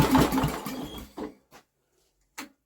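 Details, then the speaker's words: Old Briggs and Stratton generator with new carburetor after carb tap: a few recoil pulls with short whirring bursts, nearly fires then silence; no start, owner believes timing ruled out. "wow she tried didn't she right well well that's eliminating any problem with timing I would have thought she's trying to go"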